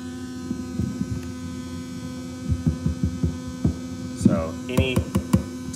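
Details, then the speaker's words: NINM Lab It's OK Bluetooth cassette player playing a blank tape: motor whirring, tape hiss and a harsh high-frequency buzz heard in the audio output; suspected motor noise picked up by the tape head. "you hear that buzzing and here the worry you're the whirring that's the motor but there's also this really awful high-frequency buzz"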